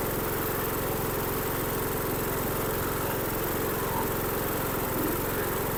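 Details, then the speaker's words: Dixon 2042 riding mower, 20 hp engine, 42 in cut, which had turned over but not started; dirt in the carburetor main jet was cleared and a new fuel filter fitted: it now runs at a steady speed with a rough, even exhaust beat, healthy. "oh that's all I was wrong with it just must been a little piece of dirt that got in that Main Jet so that's good"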